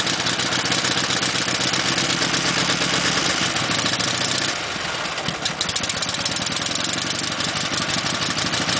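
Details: Dnepr twin motorcycle cold-started by kick after a six-count tickle of the carburetor and a slightly opened throttle catches and settles into a loping idle of about four beats a second, no knocking; healthy cold start.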